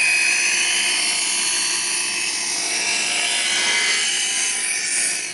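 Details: Chef's Choice Hybrid 220 electric knife sharpener sharpening a much bigger knife in slot 1: a steady, high, gritty grinding runs evenly for about five seconds, then tails off as the blade leaves; normal operation.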